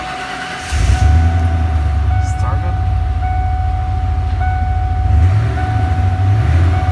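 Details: Ford F-150 $500 farm-find pickup started right after pressure washing; catches within a second and settles into a steady, deep, even rumble with no misses or knocks. Normal start.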